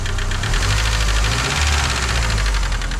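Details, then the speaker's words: Vauxhall Vectra Envoy 1.6 8v 75bhp, S-reg, about 80,000 miles, at idle: light fast ticking from a noisy cam or follower, blamed on a life of many short journeys rather than overall wear; otherwise runs sweet. "because the cam or one of the followers is a little bit noisy on this engine, which isn't so much down to overall wear, it's down to the fact that it's spent its life doing an awful lot of short journeys."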